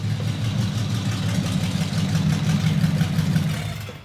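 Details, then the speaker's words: Packard custom restoration, engine with dual carburetors on first start-up, rest of the exhaust not yet fitted: a smooth, deep, even idle burble with a steady low throb; oil pressure good. "That's the reason I chose this engine from the start, because of the sound. Wait till the rest of the exhaust's put on. It sounds like an old World War II fighter plane or something."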